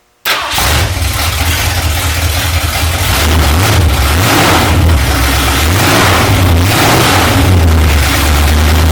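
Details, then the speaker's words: 1968 Mustang coupe with a fresh, not yet broken-in 302 V8, brief start-up with no exhaust fitted: catches quickly, then barks loud and raw through throttle blips with nothing muffling it; needs exhaust. "definitely need to get some exhaust on it"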